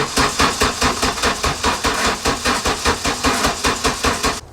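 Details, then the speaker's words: Mk2 Golf unused for a couple of months, battery just refitted: slow, laboured, really weak cranking at about 2.5 strokes a second that never catches; helper thinks no spark, owner suspects carbon-caked plugs and wiring; weak crank, no start. "The car hasn't run in a couple of months. As you can hear, the crank was really weak."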